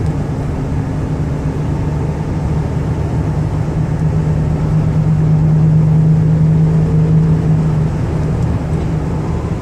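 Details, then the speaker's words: 1999 Dodge Caravan LE wheelchair van, 80k miles, highway test drive accelerating toward about 67 mph: engine drone builds under throttle over road and wind noise, no knocking, slipping or whine; normal acceleration and transmission shifting. "I'm going to give it a little gas so you can hear the engine run and the transmission shift."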